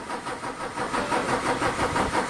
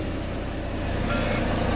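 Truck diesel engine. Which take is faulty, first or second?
first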